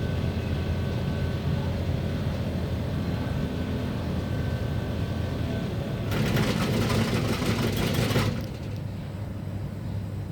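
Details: Split AC unit running with a heavy, steady low rumble, rough buzzing edge and a brief louder harsh surge; abnormal noise and vibration, cause unclear.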